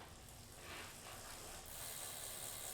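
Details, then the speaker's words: Bicycle rear hub freewheeling while pedalled: soft, quick, steady pawl clicking over light hiss, faintly pulsing as the wheel's heavy spot goes around; normal play, not a problem. "So the heavy spot's going around, pulling on it. So not a perfect world."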